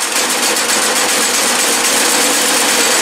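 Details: Newly fitted Predator 212cc 6.5 hp engine on a snow blower, replacing a 40-year-old engine with a failed carburetor, idling after sitting a week and starting on choke (no primer): quick, light, even patter with bright buzzy exhaust, steady normal idle.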